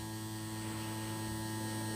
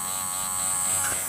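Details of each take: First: JGY 370 gear motor rated 20 RPM at 6V, on a table that reflects the sound, run at 6 to 6.5V: steady even low drone, no wavering or grinding; it measured 18.6 RPM, then about 20 RPM at 6.5V. Normal gear motor hum. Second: JGY 370 gear motor that could not be stopped by hand: constant buzzy whine with an uneven, rough gear hum. The owner suspects an internal motor problem, badly meshing gears or uneven greasing, and says the motor itself makes the noise. Gear motor noise.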